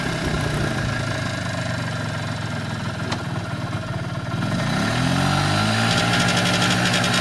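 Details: 1994 Polaris Xplorer 300 4x4 single-cylinder after a top-end rebuild, idling then revving as a raspy high buzz joins at certain rpm and on deceleration, with or without primary clutch; nothing obvious rubbing, source unknown.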